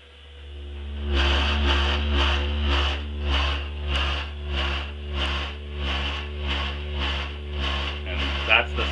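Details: Takagi TK-3 tankless water heater bought 2007, loud noise and vibration in use since 2009. Deep steady rumble with a pulsing surge about twice a second over the burner roar; blower motor speed wrong, cured by flipping dip switch 4.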